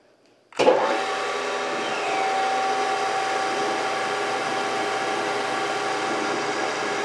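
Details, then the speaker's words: Brown & Sharpe 618 Micro Master surface grinder before topping up hydraulic oil, table running full travel: steady motor hum with a thin whine and a frothy churning of aerated hydraulic fluid from low oil. Table moves jerkily, pausing and speeding up. "I'm going to fire it up, I'm going to turn the table on, you'll see, you know, you'll see the herky-jerkiness of it, and you'll hear the noise of the hydraulic fluid in here."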